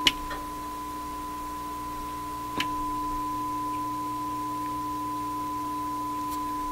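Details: Viking console stereo, signal injection toward the amplifier input: steady test tone clearly louder after flipping the stereo reverse switch, which moves the weak signal between channels.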